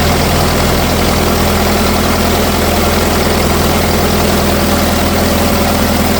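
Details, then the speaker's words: 1964 LeRoi 125G1 trailer air compressor engine, straight pipe with no muffler, drones then labours and sags toward a stall as the compressor builds pressure; engine struggles to carry the load; not yet warmed up. "It's like once it gets up the pressure, it's struggling to make up for the load."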